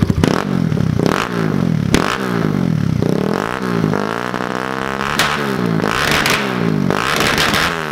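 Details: Fuel-injected Kawasaki KLX110 with new race head and Rocket exhaust, warming up on first start after install: crisp single-cylinder bark rising and falling with repeated throttle blips, clean pickup, smooth return to idle; normal revving.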